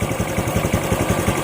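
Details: RS 125 FI motorcycle with new throttle body, spark plug and fuel filter, losing RPM and power on acceleration; uneven lumpy idle, about six irregular thumps per second with skipped beats, misfire traced to a faulty spark plug cap.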